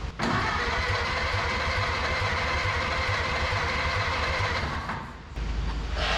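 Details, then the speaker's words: Barn-find 1930/31 Ford Model A coupe, unused since 1964, first start attempt with a leaking carburetor and gas turned back on: steady starter churn with uneven beats that never catch. With the choke off it won't catch; it needed choking. "get plenty of gas to the carburetor chok's off I think you got to just choke it you just you just got to choke"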